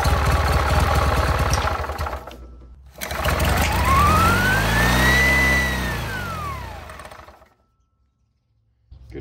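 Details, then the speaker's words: 1967 Army generator, 2-cylinder 3 hp 1500 W, after cleaning the points; it chugs evenly with no missed beats as both cylinders fire, where before it ran on one cylinder only. Normal running. "so after cleaning the points and hearing it run for the second time i think it was only running on one cylinder the first time"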